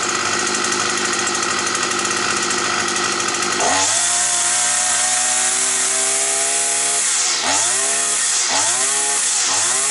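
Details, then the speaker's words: Petrol brush cutter that used to start, then cut out; a bent crankshaft was found. After the repair a high, steady two-stroke scream with three throttle drops that recover cleanly, and the flywheel runs true: normal running. "То говорить про то друзі що наш маховичок вже ходить рівнесенько я би так сказав"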